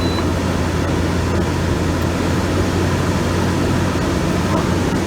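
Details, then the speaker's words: GE AEL14AVL2 window air conditioner, fan on high speed: motor speed rises, stronger breeze, steady even rush of air with low hum, no rattle or squeal; fan running normally. "You hear how the motor was changing the speed? That means it actually blows more breeze. Blows kind of strong, so yeah."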